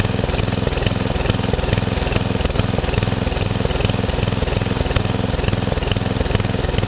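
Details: Murray riding mower, first use of the year after long storage and a mice nest in the engine, owner reported surging at lower throttle: even, steady beat at constant pitch, no cutting out or misses; ran normally.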